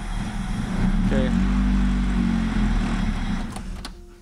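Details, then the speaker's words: EF sedan at first start after an ECU swap with an OBD0-to-OBD1 adapter and extra harnesses: the engine catches, but the revs stumble and flatten instead of climbing cleanly. Throttle hesitation, check engine light to be read. "so we definitely have a little issue you could hear the throttle hesitation but no worse that's why we have check engine lights"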